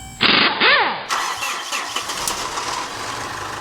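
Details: 2013 Mitsubishi Fuso FG, 4P10 diesel, during a no-start diagnosis, with EGT sensor 2, SCR sensor 1 and the DPF differential pressure sensor reading out of range; starter whirs and the engine turns over steadily but never catches.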